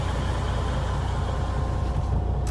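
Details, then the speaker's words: Freightliner Cascadia DD15 diesel after oil change and primed fuel filter replacement, in neutral: even deep idle with steady low throb, no knocks or misfires; oil pressure about 50 psi, running healthy. "right now again we're at about 50 psi when it comes to our oil pressure which is great"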